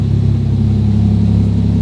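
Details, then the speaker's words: 1993 Toyota Supra RZ JZA80, 2JZ-GTE twin turbo, Blitz ECU, after bringing the hunting idle down: low, even pulsing idle around 600 rpm with no stumbles or misses; normal idle. "so the idol has come down to around 600 and it's idling quite nicely that's sort of where we want it to be definitely no issues there"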